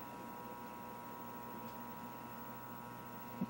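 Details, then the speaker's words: Protek 3003 30 V 3 A bench power supply after repair (cracked PCB, two bad 2N3005 transistors), cranked to almost max current into a resistor load; low steady mains hum, faint buzz and relay click: normal transformer hum under load. "if i crank crank uh the max almost the max amps let's see how far we can go you can hear it's getting something clicked on from a relay standpoint and you can hear it humming"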